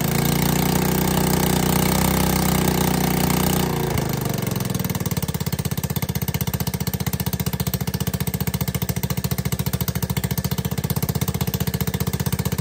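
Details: ATK 125 go-kart with a newly fitted homemade welded muffler: drops from a roar to a loud, sharp, even idle bark, only slightly quieter than before. Owner suspects an exhaust leak. Excessively loud exhaust.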